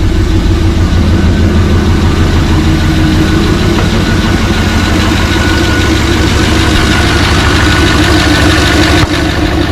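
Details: First fire-up of freshly rebuilt 6.0 LS LQ4 with Summit stage 1 truck cam in a 1986 Suburban C20, not yet warm; loud V8 idle with an uneven puffing tick about three a second, an exhaust leak blamed on the muffler.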